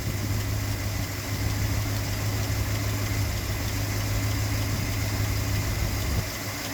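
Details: Classic Ford V8 first start in years, after a front coolant leak (water pump or thermostat housing suspected) stopped: low steady burble at idle, even beat, no knocks or misses; healthy.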